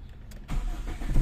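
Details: Warm Toyota 4A-FE after high-idle repair, throttle body previously not seated properly: short crank, catches firmly, settles into an even low rumble with no stumble; normal start.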